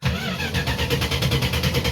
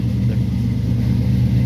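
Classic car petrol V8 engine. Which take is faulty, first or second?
first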